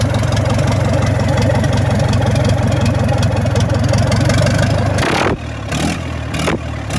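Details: Freshly restored Gardner 4LK four-cylinder diesel: slow, even thudding beat firing on all four cylinders with no misses or knocks, then winding down; a healthy idle.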